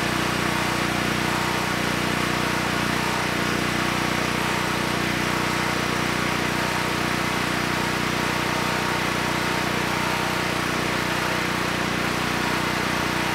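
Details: Honeywell 7500E generator bought as parts-only, after carburetor work and fitting the missing air filter, started on the first pull: constant, even engine drone at one speed with no surging or misfires, so the carburetor is judged good.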